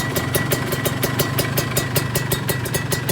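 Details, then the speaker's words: Kawasaki Ninja 150 two-stroke at idle: sharp clicks about six a second over a steady idle, seemingly from the cylinder head rather than the exhaust; cause suspected, not confirmed; smoke fairly thin, filter fitted, before warm-up to burn off carbon. "Suara berklik itu sepertinya berasal dari area mesin , teman-teman. Ini adalah suara saat tidak aktif. Sepertinya sumbernya berasal dari kepala , kawan-kawan."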